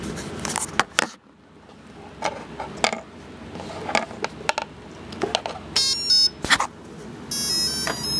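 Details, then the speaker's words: Turnigy AE-30A brushless ESC being programmed without a transmitter: a few clicks, then a run of quick high musical beeps at full throttle signal entry into programming/throttle calibration; the throttle is then lowered. "you hear that sound and you keep your throttle high once you hear that wo wo you put your Throttle Down Low"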